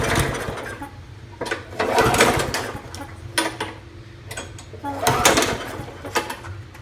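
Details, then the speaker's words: 2012 Murray 20-inch mower with Briggs & Stratton Classic 300 series engine: surges and stumbles, revs rising and sagging every couple of seconds; the carburetor/governor spring was bent back, not pulling the governor enough; bending it back improved running. "What I think was wrong with this is this part here. Well, this part here was way over here, causing not enough pull on the governor."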